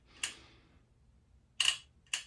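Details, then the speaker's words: Hasselblad XCD 45mm f/3.5 first-generation lens on X2D camera: three crisp, sharply metallic clicks, short and clean, nothing dragging; the metallic sound is normal for this lens. Normal leaf shutter actuation. "Okay. So, that sounds pretty metallic. That's, you know, metal. Metal is happening here."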